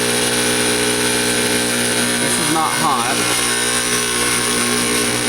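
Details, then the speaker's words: Fog machine pump running with no liquid drawn up the tube, vibrating hard. A constant loud buzz with a rattling vibration and no change in pitch, a pump straining against a clog somewhere in the fluid line. "That's not hot. This is hot. This is just vibrating like hell. So, we have a clog somewhere."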